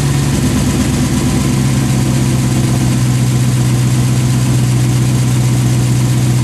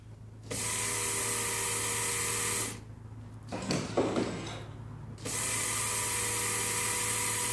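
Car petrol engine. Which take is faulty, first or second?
second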